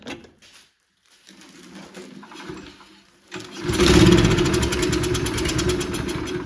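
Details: Free, neglected Toro Recycler 20333 personal-pace push mower with blade brake clutch, Briggs & Stratton engine, after a quick carb bowl clean removing water and debris: some fiddling, then it fires and runs at a fast, steady buzz without sputtering.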